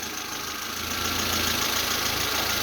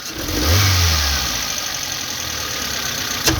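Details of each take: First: Geely CK, previously jerking and backfiring from about 1000–2000 rpm, after the throttle position sensor was replaced. Even, steady idle with a slight rise in revs and no stumbles or pops; the engine runs cleanly. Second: Geely CK with new spark plugs, before replacing throttle position sensor and ignition leads: fine when revved gently, but sharp throttle blips bring stumbles, jerks and backfire pops; misfire on acceleration, cause suspected, not confirmed.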